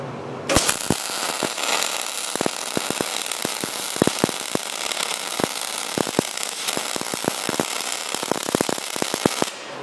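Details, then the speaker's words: MIG welder with only voltage and wire speed settings, wire speed turned up far too high: harsh crackling arc with loud irregular popping, felt in the gun, producing excess poor weld. "so that's when the speed turned up a bit and you you could still hear the popping you could still hear it it was popping and I could feel it a lot in the gun"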